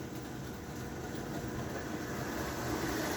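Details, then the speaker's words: American Flyer AF 300 Christmas engine upgraded with DC fields and digital reverse, running on rubber roadbed at about 25 mph per transformer: even, steady rolling rumble with soft motor hum, no knocks or grinding; normal smooth running. "And Austin, the rubber road is just lovely. Listen to that. All you hear is the train rolling. It's so nice."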